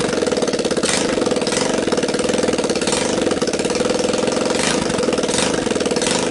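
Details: Linhai Talon 300 4x4 ATV engine bench-run outside the frame after unseizing, makeshift PZ27 carb on intake, 12VDC CDI, choke on, first start: quick, even single-cylinder beat, no knocks, ticks or misses; engine runs clean and healthy.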